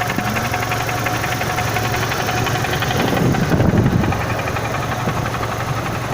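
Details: Renault Symbol 1.6 16v at idle: rapid, somewhat uneven knocking over the engine hum, louder briefly mid-clip; crankshaft speed sensor replaced a week earlier; source of the knock unknown.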